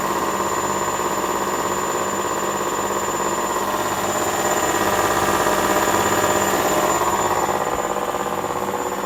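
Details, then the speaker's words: Hotpoint Aquarius 6 kg WMA50 washing machine on a test wash after a new suppressor was fitted; the old one arced and kept tripping the consumer unit. Steady motor hum and even drum rumble building gently as it motors up for another spin. Normal spin. "it's done one spin and that's just kind of Motoring up again another spin should pick up a little bit faster really"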